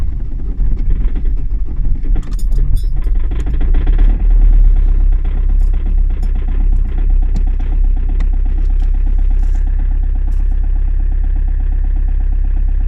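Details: Toyota Avensis 2.0 D4D diesel, extreme cold start in Lithuania: cranks and catches raggedly with uneven clatter for a few seconds, then settles into a steady rattling idle; hard cold start.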